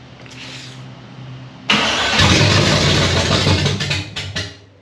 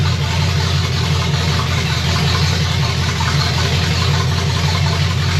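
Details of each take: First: 1965 Chevy Nova wagon, 327 small-block V8 on first start attempt: starter whirs, engine catches with a rough burst, then sputters and dies within seconds; fuel starvation, as the fuel filter stays dry and the pump isn't picking up fuel. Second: Chevy 327 small block in 1965 Nova wagon, first fire, Edelbrock Performer RPM Air-Gap intake, open pipes, 30 lb oil pressure, water about 180°F; loud deep steady even lope, no knocks or misses: normal idle.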